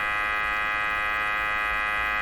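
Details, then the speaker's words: Canadian Westinghouse Model 684 radio with a sweep generator feeding the IF bypass: a steady, even buzz with a high edge comes through the speaker, showing the IF path is working. "What do we hear? We hear the buzz I was talking about. So that's a very good sign."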